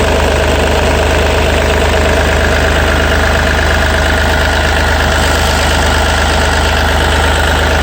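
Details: Yanmar 3TNV88 three-cylinder diesel in a Yanmar C30R, just started after fuel filter and water separator service and bleeding: steady, even diesel clatter at idle with no misses or hunting. Normal idle.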